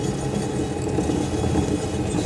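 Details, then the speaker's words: Rear right wheel lifted on a stand, handbrake released, turned by hand: steady rough, gritty low rumble from a worn rear right wheel bearing, with slight play in the wheel. "Et vous allez faire tourner la roue en fait à la main. Et là on voit très clairement un bruit pas du tout normal."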